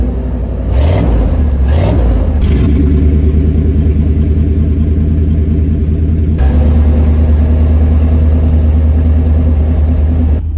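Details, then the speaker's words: 1988 Chevrolet C1500 Scottsdale V8 farm truck after fitting a custom parts-store exhaust and fixing rich mixture: deep even burble rising with blips, settling to smooth muted idle; healthy, quiet enough to stand in the cab. "sounds really good and I can stand to be in the cab now so there's that"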